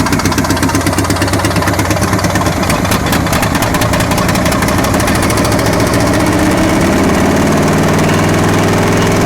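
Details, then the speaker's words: Abandoned 1963 Chevrolet C-20 stepside six, hot-wired and fed fuel in the carb bowl, no fan or coolant: it settles into a loud, steady idle with an even thump and no misses. It has a driver-side exhaust leak and the carb needs rebuilding. "all right this thing is a runner gotta fix that exhaust leak and uh fine-tune that cart will actually rebuild that carb but the thing was actually idling and accelerating"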